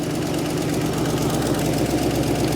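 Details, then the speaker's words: 1980 Ford Mustang V8 run after sitting 22 years: loud low lumpy idle with uneven pulsing beats, lazy; sounds like a dead cylinder; cause suspected, unconfirmed. "Yeah, it sounds like it's got a dead cylinder and runs like it, [Music] too. Yeah, it's a little lazy."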